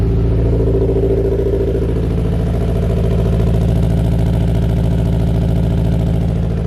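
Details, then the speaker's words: Subaru STI engine after a refresh and repaint, first runs, not yet fully warmed up, coolant not yet bled: deep, steady idle with even pulse, no misses, knocks or hunting; running and idling smoothly; clip ended early over the upper radiator hose. "like you guys just saw it's running and idling"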